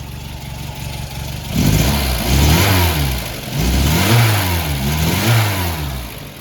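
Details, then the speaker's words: VW Golf Mk1 with CIS (K-Jetronic) injection, after slow mixture adjustment to 1.5% CO on a gas analyzer: engine blips up from idle and returns cleanly, smooth and even with no misfire or stumble. "So taking my time and making some very slow adjustments, I got it down to 1.5% CO."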